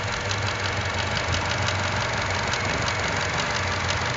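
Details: Chevrolet Cruze at idle, sometimes after startup: intermittent random sharp ticks several times a second, much louder than normal engine tick, seemingly from just behind the engine; dealership couldn't replicate, cause unknown.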